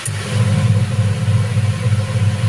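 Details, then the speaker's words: Single-tub washing machine converted from digital to manual control, wash timer switched on with motor bolts removed: low steady motor hum with a gentle rhythmic swell, no grinding or squeal; the wash motor turns freely and sounds fine. "Ya, bergerak. Kita lihat bergerak. Ini karena saya lepas dinamo bautnya itu mutar ya. Nih, mutar tuh."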